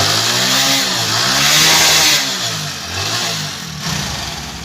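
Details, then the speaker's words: Hero Splendor Plus 2019 after piston and valve work for an engine noise: crisp single-cylinder buzz climbs and falls cleanly through quick throttle blips with no knocks or rattles; the engine now sounds healthy. "तो bike के engine में कुछ भी problem नहीं है बिल्कुल slow के अंदर स्टार्ट है बाइक"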